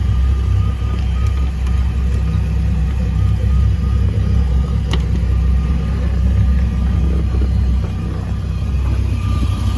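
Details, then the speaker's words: Volvo Penta 4.3 boat engine after cleaning flame arrestor and reassembly, started without throttle: deep, steady idle rumble with no misses or surging, already sounding better than before. "already sounds a little better and we're gonna have to see what it does whenever you throw up I didn't use any throttle or anything to start it"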